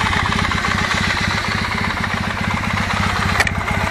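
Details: Kawasaki W650 at about 50k, knock absent cold but appearing once warm at operating temperature: steady idle with a light, fast ticking knock on each firing pulse. It is reduced by adjustment, and the remainder is put down to wear. Cam gear knock.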